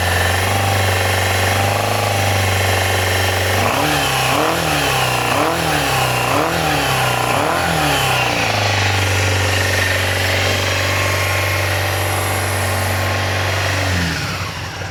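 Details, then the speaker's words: Yamaha FZR400 after a carburettor rebuild, a new No. 4 carb and a new battery: steady idle, then quick clean throttle blips that rise and fall evenly, before it stumbles and dies as the small amount of fuel runs out; engine healthy. "She sounds healthy."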